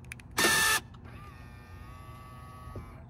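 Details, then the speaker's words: New Jaguar F-Type: when locking the car, a lock clunk then a steady electric whir for about two seconds from the center console. "just brought home this uh beautiful new Jaguar F-TYPE and it's making a horrible noise when we lock the car from the Center Council"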